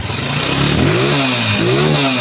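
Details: Honda TMX155 after top-end rebuild with new base, side and cylinder gaskets and valve cover refitted. Single revs rise and drop back cleanly twice, with a crisp even exhaust and no knocking or rattle; running healthy.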